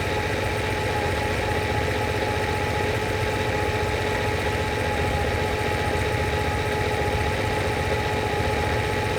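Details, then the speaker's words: Lamborghini 350 GT, chassis 109, restored engine warming up at idle while carburettor linkage and mixtures are adjusted: steady, even idle with smooth hum and no misses, knocks or hunting; runs cleanly. "i'm now going to go around the mixtures and we can hear the tone of the engine change there it is gone i'm listening extremely carefully"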